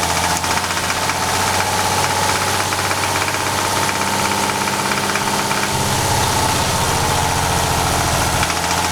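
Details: VR6 24V at a loud idle with a fast, uneven knock that changes partway through as coils are pulled one by one to diagnose it. This is a suspected connecting-rod knock.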